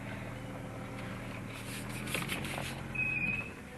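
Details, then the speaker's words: 1982 Jaguar XJ6 Series 3 idling at full steering lock: smooth idle, then a brief high-pitched squeal as the wheel reaches full lock; owner suspects a slipping power steering belt, possibly fan belt. "I don't know if that's it might be a fan belt on full lock, I think, or a power steering belt. Yeah, I reckon it is."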